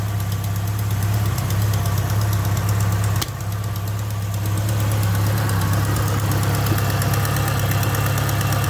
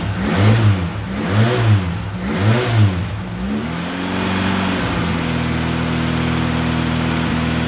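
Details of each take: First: Ford Capri, 2 L Pinto engine with Ashley 4-branch manifold, started cold with choke knocked off: steady idle with a fast, uneven puffing chuff at number four cylinder from a blowing exhaust manifold gasket, before gasket replacement. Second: Ford Capri Pinto, 41 years old, with Ashley 4-branch manifold and exhaust, after its blowing exhaust manifold gaskets were replaced before a passed MOT: several throttle blips, then a smooth, even idle with no ticking or chuffing, exhaust sealed.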